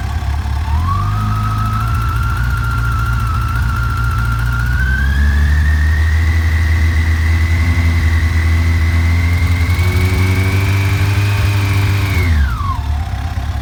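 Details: FJR 1300 motorcycle idling: a clear whine climbs in pitch as revs rise and drops away when released. The owner wonders whether it is the timing chain. An engine whine, source unconfirmed.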